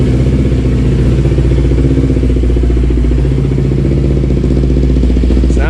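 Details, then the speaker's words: 2008-2012 Kawasaki Ninja 250R twin idling after a clutch replacement: low, even burble with no knocks, rattles or misses, no oil leaking; sounds healthy. "good i don't see any oil leaking out of the bottom she sounds healthy"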